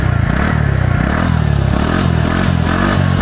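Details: TVS Ntorq scooter after replacing a loose bolt that caused a kat-kat noise, with a new bolt and lock: steady, even low putter at idle with no rattle or ticking; engine healthy.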